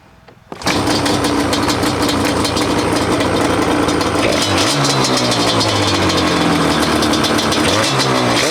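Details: 2005 Yamaha Banshee SE two-stroke after TORS delete, with new carburetor drain plug screws and richer 27.5 idle jets: catches at once, crisp even idle, climbs cleanly on throttle without bogging; runs much better, may need some fine tuning.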